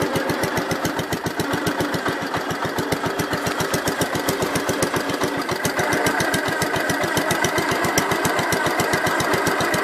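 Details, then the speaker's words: Gravely 566 tractor after adding oil to rear planetary: steady single-cylinder chug near four beats a second, no gear whine or grinding in low range, much quieter than the night before; quiet transmission. "can notice how much quieter lower ranges this morning there was last night when I got it"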